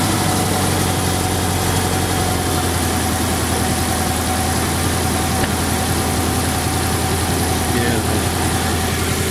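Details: Toyota Tarago/Previa/Estima (TCR11) at idle right after a new Bosal catalytic converter was installed: smooth, steady, even low drone with no ticking, blowing or rattling from the exhaust, normal idle.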